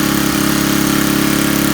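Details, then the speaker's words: Coleman Powermate 4000 W generator, Tecumseh 8 hp flathead, running fine after a carburetor replacement fixed its running problem: a smooth, constant single-cylinder thrum at fixed speed with no hunting or sputter; normal running. "So seems to be running fine. Not a bad a bottom of the line generator."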